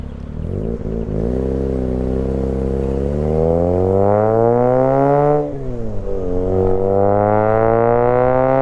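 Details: Freshly installed half-bridge-ported Renesis rotary in a Mazda RX-8: clean note climbing smoothly through revs, dropping and picking up again with no metallic scraping or rattle; sounds healthy.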